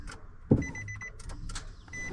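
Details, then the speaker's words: Nissan Titan: single sharp starter click when the key turns, then no cranking; battery measured 11.9 V, dead. "I do hear the starter click. Alright. So it does click."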